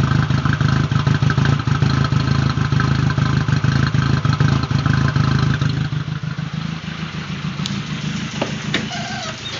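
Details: Freshly rebuilt 2001 VW GTI 1.8T with 180 psi compression on all cylinders, running rough since a K03 to K04-01 (K03S) turbo swap; uneven idle and revs that die away instead of building, a misfire or knock.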